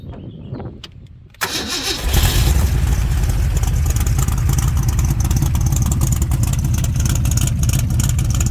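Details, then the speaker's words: 1996 ERA 1965 Cobra replica with fully rebuilt big-block V8 after restoration: new Holley vacuum-secondary carb, distributor, fluids; cranks briefly, fires at about 1.5 seconds, settles into deep, lumpy but steady idle; normal healthy start and idle. "So with that, I'm going to fire this baby up. You get to hear the sound of the big block."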